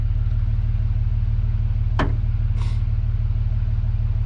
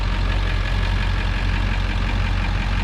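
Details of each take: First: 7.3 Powerstroke diesel after injector change, turbo rebuild, new glow plugs and wiring: steady even cranking about three turns a second that never catches after wait-to-start; no start while fuel system re-primes after injector work. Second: 7.3 Powerstroke diesel after turbo rebuild, new injectors, valve covers, glow plugs and wiring: deep, even rumble at steady idle with no misses or knocks; motor sounds good after starting twice, though boost leaks remain at the turbo pipe.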